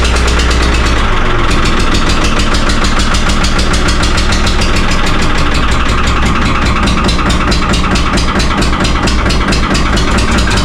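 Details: 3-cylinder Lister diesel in a former Rotterdam harbour boat, cold start right after 8 litres of water were pumped from the flooded engine: loud, uneven clatter, revs surging and sagging, needs much throttle; owner suspects air in the system.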